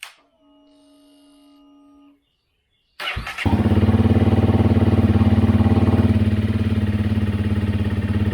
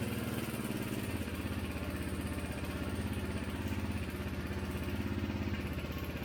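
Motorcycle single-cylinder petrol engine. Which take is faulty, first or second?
second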